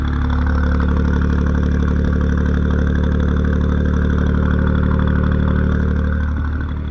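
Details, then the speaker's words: Japanese kei vehicle (Daihatsu Midget, Suzuki Cappuccino or Mitsubishi Townbox), started after sitting a long time, fitted with an exhaust with an actual muffler. Smooth, even low burble with no misses or ticks, a healthy idle. "has an exhaust on there sounds good I wish my um mirror sounded like [Music] this I think it's cuz it has an actual like Muffler"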